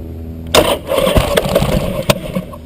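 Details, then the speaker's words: Buell motorcycle with suspected weak battery: starter turns over in uneven bursts that sputter out without catching, cranking getting weaker. Cranking but no start. "okay i'm gonna make it run this time uh very it's getting worse nothing batteries down here"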